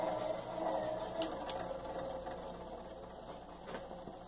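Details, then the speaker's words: 52-inch single-speed gear-driven ceiling fan with balsa blades and a plastic flywheel: quiet whirring with light ticking fading steadily over a few seconds as it coasts down; short but normal spin-down. "Not a very long spin down, but"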